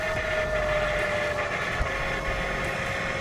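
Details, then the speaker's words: BMW F10 535i after new water pump and thermostat install, electric pump running while bleeding coolant: thin steady pump whine with uneven bubbling and sloshing; air still in cooling system. "so I've seen a lot of YouTube video guys I've never seen it do this before so hopefully this will kind of help you guys as far as bleeding the system"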